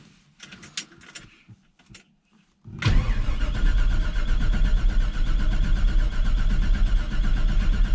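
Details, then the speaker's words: 1968 Chevrolet C20 with 454 big block and 4L80E, first start attempt after years in a barn: starter spins briskly and evenly, battery holding voltage, oil pressure maxing the gauge at 80 psi, but it never fires; cranks, no start. "looks like our battery's doing pretty good it's cranking over just fine holding pretty good voltage we got no start yet"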